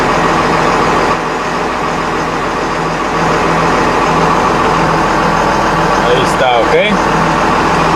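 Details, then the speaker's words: 1999 Ford F-800 diesel truck with 5.9 engine, after repairing a broken starter wire that caused no power and no start: starts right up into an even, steady idle clatter with a firm regular beat, no misses or knocks. "so now we got power so everything looks good I'm gonna go here it starts right up"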